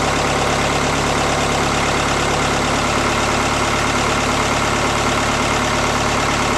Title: BKD cold rough idle